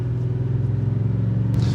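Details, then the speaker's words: 2018 Ford F-150 at highway speed after front wheel bearing replacement on the identified side: steady low cabin hum, no growl or whir; bearing now completely quiet, confirming that side was the fault. "All right, good news, bearing is completely quiet, so that side was definitely the issue."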